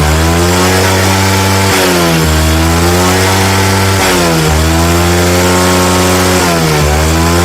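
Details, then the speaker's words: Old Jupiter Z (same as Vega R New) that previously snored (ngorok) at mid RPM and wouldn't rev freely, now after the fix: idle normal, revved hard and dipping three times, pulling back cleanly with no flat spots. "Ini kita nyalakan mesinnya yang awalnya ngorok saat RPM tengah. Langsamnya normal ya."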